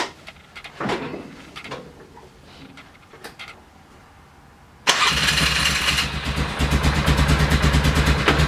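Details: 2000 Polaris 6x6 ATV after a project of about 50 hours repairing the CDI, brakes, carburetor, fuel lines, tank, kill switch, wiring, bendix gear and starter relay. The engine catches at once and settles into a steady, even thrum with no misses; it runs well.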